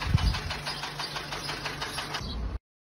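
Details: Renault D4F 1.2 petrol engine idling: a sharp, regular knock, about seven a second, over the low hum. Oil was found below minimum; after topping up, the noise continued and the oil light flickered occasionally above 2000 rpm.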